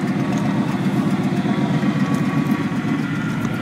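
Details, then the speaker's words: 1990 Chevy/GMC 2500 plow truck, 350 TBI, OBD1, after ECM power wiring repair fixed intermittent no-start, no codes stored: even steady idle, smooth low drone, no hunting or surging; normal idle. "so as a note to my dad who is away in Nova Scotia the plow truck is working awesome everything is running"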